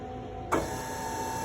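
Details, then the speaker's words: Advance Adgressor X3220C scrubber in service test mode, after left brush motor failed (burning smell, open circuit): right-hand brush motor spins up to a steady, even hum with no scraping; sounds normal. "you can see that the right hand motor is running [Music] sounds good"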